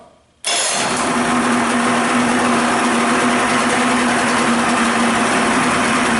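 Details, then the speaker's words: Evinrude/Johnson 25 outboard just after carburetor reassembly and reinstall, primer used, warming up: catches at once into a steady, even buzz, runs better than before; normal warm-up idle. "Better than what it did before. Let the engine warm just a little bit more yet."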